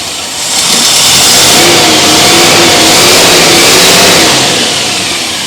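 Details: Rover P6 V8 with newly fitted alternator producing 14 volts: revs up smoothly, holds and settles without misses or knocks, faint whine following engine speed; sounds healthy.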